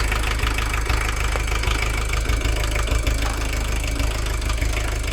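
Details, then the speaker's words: VW camper diesel with leaking, incorrect injectors stuck in place by a previous owner: lumpy, uneven idle with knocking beats about three a second, though better than before. Rough idle from incorrect injectors. "Okay. Believe it or not, this is actually a lot better than it was before."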